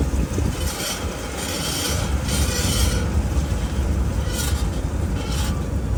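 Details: 2022 Ford F150 PowerBoost, about 48,000 miles, camera in right rear wheel well while driving: heavy rumble with harsh metallic grinding from the rear passenger wheel; brakes checked fine, caused by a failed rear axle bolt.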